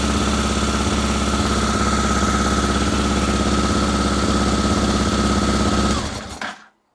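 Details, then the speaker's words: Honda Africa Twin after rebuild, started once the fuel pump had filled both carburettors, with air intakes not yet refitted and the engine kept from getting warm: a steady high idle on both cylinders, then a clean cutoff. "She runs both cylinders. She runs a treat. It's quite high revving. It seemed to sort itself out last time."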